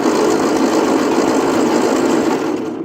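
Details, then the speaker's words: 1939 Ford 9N tractor, relay-operated start, cranked in neutral before ignition on; strong, even starter churn about 220 beats a minute, turning over well. "She's turning over good."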